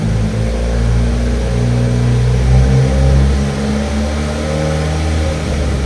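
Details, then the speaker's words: VW 1.8T first start, cam timing one tooth late (17 rollers between marks): low, uneven idle that lumps and stumbles like a slight misfire, with a cam position sensor code logged. "weird almost like it's like misfiring a little bit but I'm going to check the oil again and reset and see where we're at"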